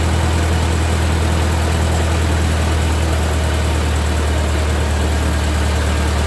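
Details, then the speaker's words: 1945 Ford 2N loader tractor after rewiring, idling with a steady, even low thrum, no knocks or misses; about 10 oil pressure and charging; normal idle, though it later quit, apparently running out of gas. "Well, it started up. It's sort of got oil pressure 10. Oh boy. And it's charging. So, all seems to be okay."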